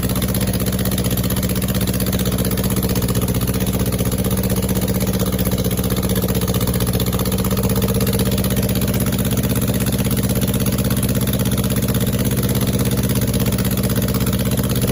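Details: Rebuilt 2270 cc engine (main bearing failure from oiling problem; heads, align bore, rods, balancing, clutch, machined flywheel) on first startup in a test stand: steady, even idle with smooth low drone, no knocks or ticks.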